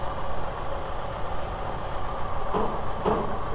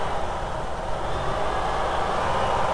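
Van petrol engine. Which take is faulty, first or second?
second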